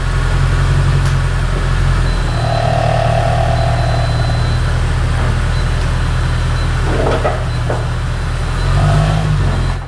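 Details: Jaguar S-type R 406 hp V8 after replacement automatic gearbox fitted and refilled with oil: steady low engine drone under load, smooth and even, no gearbox whine or clunks.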